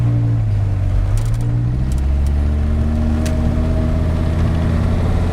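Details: 2001 Dodge Viper RT/10 V10 with Belanger exhaust, heard from inside the cabin on a test drive: deep, steady rumble with a smooth pull as revs climb, no misses or knocks. Healthy, normal running.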